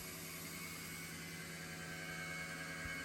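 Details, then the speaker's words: Chevrolet C10 LS swap, electric fuel pump with new thicker wire, pressurizing system: low even hum holds steady several seconds without surging or cutting out; no leaks seen, normal priming. "so let's pressurize this see what we got okay we're getting it flowing through"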